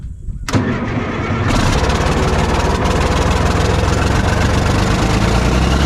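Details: Cat 977K track loader diesel, with a small exhaust leak, cranked after cleaning the fuel filter and priming: cranks briefly, catches, settles into a steady, even idle with a firm low rumble; normal start and idle.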